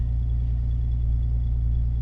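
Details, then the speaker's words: Turbocharged Megasquirt flex-fuel car at about 60% sensor reading, near 50% methanol in 91 octane; fueling compensating with about 30% more fuel: low, steady, even idle with no stumbles or misfires, running clean and healthy. "sounds like it's still running great the ethanol content um is compensating so we're getting 30 more fuel sounds healthy so perfect"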